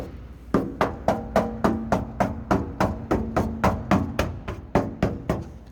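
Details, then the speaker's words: 1960 Ford F250 4x4 pickup with patina and surface rust: three or four even knuckle raps a second on the body panel/step, each a firm dull knock with no tinny rattle; metal solid, not rusted through. "But listen to that. Again, pretty solid."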